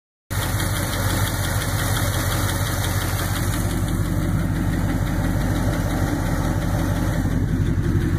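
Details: 1966 Ford F100 engine at steady idle: faint light ticking over a low rumble; suspected lifter tick, not confirmed.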